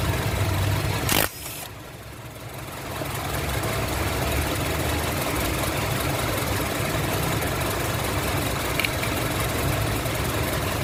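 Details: Honda CR-V with code P0352, number 2 cylinder ignition coil circuit malfunction, hesitating, vibrating and jerking: after a click the idle settles into an uneven, lumpy beat with a faint stumble; cylinder misfire from ignition coil circuit fault.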